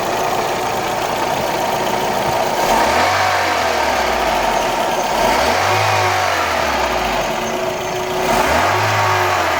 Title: Golf 3 1.6 aft weird noises, dziwny dźwięk/rzężenie silnika